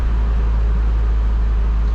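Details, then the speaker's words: Truck after transmission rebuild, engine warm with choke engaged in high idle mode, knocked down a step: deep, even, steady rumble with no misses or knocks; fast idle running fine. "I think now all now all that should be choked engaged so hi idle mode it's warm hi idle mode knocked down a peg"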